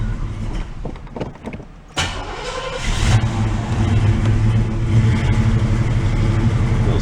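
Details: 1986 Oldsmobile Cutlass Supreme Brougham V8, sat non-running for five years, first start: cranking, then catches unevenly, stumbling and surging, some popping, before settling into a rough low idle; cause not yet known.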